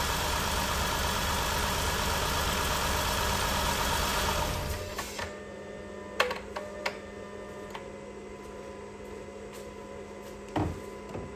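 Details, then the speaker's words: 2011–2016 Chrysler Town & Country with P0300/P0306 codes, idling with a confirmed cylinder 6 misfire after a reported earlier spark plug and wire replacement; uneven stumble about three times a second, with a stretched plug wire, plug or ignition coil suspected, later traced to the failed coil. "Okay, so we confirmed cylinder number 6 is gonna misfire."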